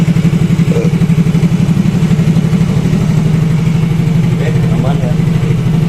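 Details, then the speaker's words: Yamaha Mio Fino 125 fuel-injected scooter that came in unable to idle; after setting the idle at the ISC/throttle-body hose wedge it idles unassisted: steady, even putter of about four beats a second, no hunting or stalling, a normal idle. "jadi ini enggak saya pegang ya untuk e kondisi gasnya tuh ini normal ngangsap"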